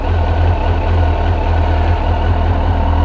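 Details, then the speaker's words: 2002 Suzuki GSXR 1000 first start after yearly maintenance (tank rinsed with vinegar, pump cleaned, new air filter and plugs), temp reading 70 degrees: steady, even low burble, no misses, knocks or rattles; clean, healthy idle. "she's idling on her in right now there it is success boys and girls"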